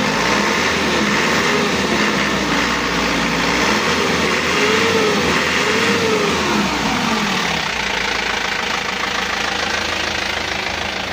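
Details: Isuzu Elf NLR 55 diesel after crankshaft replacement, broken under a year after overhaul; morning cold start with oil pressure up: even, steady idle clatter, no knock or miss, smooth and normal, faint smoke.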